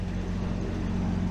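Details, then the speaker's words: Generator on a Peterbilt 379 flatbed truck after weather stripping and cover bolted back on: even low steady hum with no metallic banging; better, though loose rivets on top still suspected. "It's not that metallic banging around."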